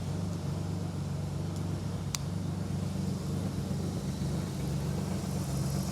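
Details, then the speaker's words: BMW E30 with a swapped S50B30 3.0 L straight-six, first start after a refresh with new spark plugs, coils and fluids: steady, even low hum with no knocks or misses; runs well, normal idle. "So, engine runs pretty well. Engine smells healthy. It's running good."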